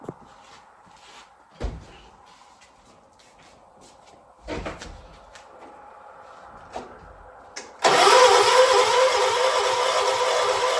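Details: 1976 John Deere 300: three short cranks die without catching, fourth try fires and settles into a loud steady run; hard starting.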